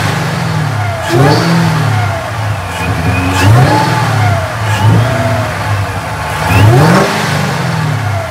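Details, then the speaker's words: Mustang: several clean blips, no knock, miss or rattle; sounds healthy though smoke kept coming out, worsening. "all right I'm gonna go top the gas and see what happens"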